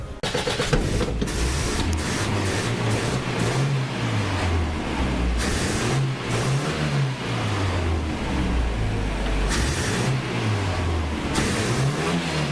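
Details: Toyota Hilux with electronic ignition instead of points, ballast resistor not in the coil circuit, just restarted after work: idles on its own with a low steady rumble and slight slow rise and fall, no stalling; normal idle.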